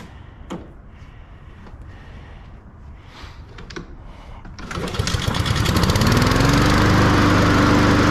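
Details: Push mower after spring service (new spark plug, air filter, oil change, sharpened blade): engine catches and settles into a smooth, even hum with power drive engaged; normal running.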